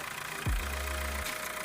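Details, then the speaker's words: Mitsubishi Triton diesel pickup after repair of no power, rough running and long cranking: idles steadily and evenly with one brief low surge, revs past 3000 rpm, check engine light still on. "kemarin datang mengeluhkan getar ini sudah stabil di gas pun bisa sampai Hai 3000rpm lebih"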